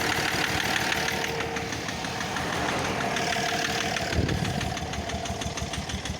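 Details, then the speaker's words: BMW M57D30 diesel with suspected faulty injector knock, smoke from turbo side: rough, fluttering pulse about three beats a second over idle clatter; turbo surging. "Ну это секет, сама турбина секет."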